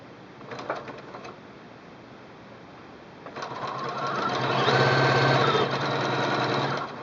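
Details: Singer Quantum L-500 sewing a straight stitch with needle-up setting: steady, rapid needle chatter at an even pace over a smooth motor hum; normal straight-stitch sewing.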